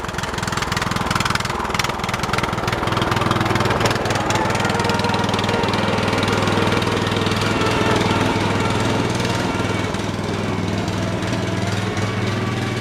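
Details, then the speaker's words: Briggs & Stratton 13 hp OHV on an MTD/White LT300 tractor, driving around. Single-cylinder thump swells and sags, smoothing after bouncing; owner suspects water in the carburetor float bowl, engine surging. "yeah yeah i' tell she's got some water in there you bounce the thing around a little bit and smooth on out"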